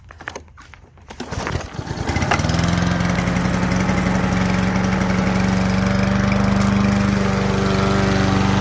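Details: Kohler Courage XT-7 push-mower engine: catches after a few pulls, then settles into a steady, even drone with no misses or knocks; a healthy single running smoothly.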